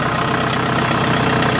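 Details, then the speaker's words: Renault Scenic 1 1.9 dCi diesel just restarted after fuel filter replacement and bleeding. Even, steady diesel clatter at idle with no misses or stumbles; running smoothly, like a new puppy. "now we gonna start it again and hopefully it go there we go like a new puppy"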